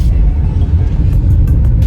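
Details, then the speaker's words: 2011 Vauxhall Astra 1.7 CDTI common-rail diesel with stalling and surging when cold: deep, even rumble under revs and on a road test under load, no dips or hunting; no longer surging. "much much better than before so yes danger is not surging anymore like before"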